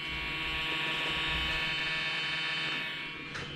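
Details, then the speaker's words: Toshiba Satellite Pro 400CDT floppy module (ZA1219P02): steady high even whir with no load change as motor spins freely; drive belt has gone bad, cleaning didn't fix it. "i did not know what that was at first and i did some searching on the internet and did find that it said that it's something about a belt in that drive that goes bad"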